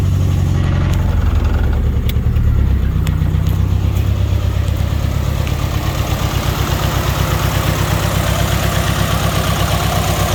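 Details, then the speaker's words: Nissan S14 240SX SR20DET with newly installed FiveO 750cc injectors, no tune. Lumpy, uneven idle with a throbbing beat that never settles. Rough idle from over-rich mixture; owner doubts SAFC tuning can fix it. "all right injectors are installed they're clearly too rich to run the car properly and i don't think any amount of uh safc tuning is gonna fix that"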